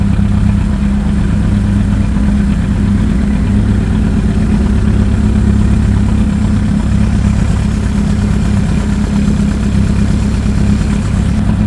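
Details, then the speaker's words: 1992 Honda Accord CB7 track build, first start after engine install and custom wiring harness, running essentially open header; loud, raw steady idle with deep even thrum and throaty bark, no misses or knocks; healthy. "so I'm just stepping back right now because it is really loud because it is basically like open header right now oh yeah there you go it's idling yeah"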